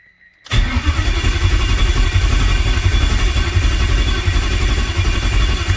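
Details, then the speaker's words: BMW E46 with an M62TUB44 V8 swap, first start attempt: the starter spins the V8 steadily for about five seconds but it never fires. There is no fuel pressure in the rail, where about 50 psi is expected. "now it won't start and i'll tell you why it won't start let me just get out of the car it won't start because i've got no pressure in the fuel rail"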